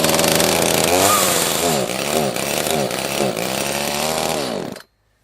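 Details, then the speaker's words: Echo CS-330T top-handle chainsaw with aftermarket carb, seller-adjusted high and low screws, good compression, before repair: revs then sags and bogs each time throttle opens; fuel starvation from a blocked carb vacuum port. "it just has that bog when you give it gas it doesn't seem like there's any gas there in my you know humble opinion"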